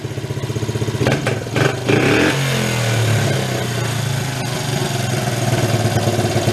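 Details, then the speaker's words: 1983 Suzuki 125 three-wheeler ATV, barn find revived after run issues: steady single-cylinder idle, quick throttle blip, revs hang briefly then drop back to even idle; healthy idle return. "it's pretty good it hangs up a little bit and then kind of drop down"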